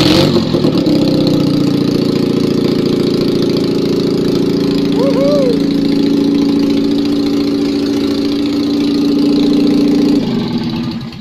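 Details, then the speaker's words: Citroën 2CV engine after overhaul with a 652cc conversion and rejetted Solex twin-choke carb, on first start with no exhaust fitted, after dressing wet points. It gives a loud, even putter at fast idle with no knocks, normal running with proper oil pressure. "but she runs and I can now have a good check because that was proper oil pressure going on"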